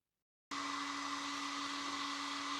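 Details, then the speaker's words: MJX Hyper Go 10210 RC monster truck: a steady, even high whirring hiss with a clear tone from its small onboard cooling fan; loud but healthy. "So, you maybe hear that this is quite a noisy little fan up in here."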